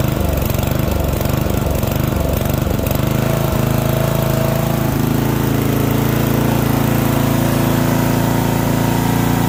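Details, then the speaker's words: Yard Machine MTD ride-on mower, 12.5 hp Briggs & Stratton, 38-inch deck, 6-speed, which wouldn't start; now running on choke while warming up. Steady drone whose speed drifts up and down; hunting rather than holding an even idle. "She's hunting a bit, but overall, she starts."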